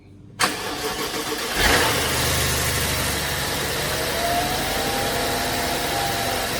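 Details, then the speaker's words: 2012 BMW 750Li after turbo coolant line replacement and fluid refill: starter cranks briefly, engine catches cleanly and settles into steady, even idle with no knocks or whistles; runs healthy, turbos audible. "replaced him with new fluids and she's purring like a kitten standing by let you see that"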